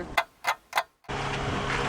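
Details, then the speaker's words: Rebuilt Honda VTEC engine, first start attempt: three sharp single clicks about a third of a second apart with no cranking; starter clicking, Bendix not engaging. "let's see starter motor is not engaging I know"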